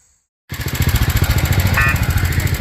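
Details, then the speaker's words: Older Kohler single-cylinder on a homemade mini tractor-truck with a new untuned carburetor, new air filter still on order: quiet start, then a steady, even low putter with no misses or knocks; runs well enough. "Okay, so as you can see, got it running with the carburetor. Couldn't get the air filter, so I had to order one. It'll be here in a couple days, but it's at least running good enough on its own."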